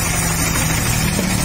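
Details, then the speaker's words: Motorstar Easyride 150 single-cylinder motorcycle after timing set, valve tappet clearance adjusted and tensioner addressed: steady, even low-thump idle with no rattle or ticking; earlier engine noise gone, normal idle. "nawala na yung ah maingay mga pre Ayan Okay so Okay na Yung kanyang timing mga pre"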